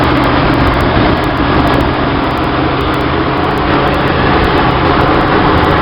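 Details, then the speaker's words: 1966 Chevy van 230 straight six, Weber 32/36 2bbl via 1bbl-to-2bbl adapter, in neutral: steady fast idle never settling; owner blamed choke tension keeping choke from opening fully, later suspected a vacuum leak at adapter gaskets. "But to do the tension a little bit more, that means when it's time for the choke to open, it's not going to open as wide. Hence the high revs."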